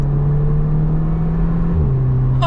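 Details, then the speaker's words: Mk2 Audi TT dual-clutch (DSG) in manual mode, changing gear: steady engine drone then sharp pitch drop with a quick loud burp at the shift; normal DSG gear change. "you hear that? Oh my god, it did like the loudest gear change."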